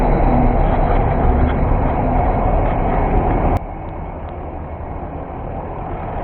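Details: Mercedes-Benz diesel bus that would not start due to a fault in the engine compartment door sensor, which blocks starting for safety. The bus now idles normally: a steady low diesel rumble with an even beat around three per second, no knocks or misses.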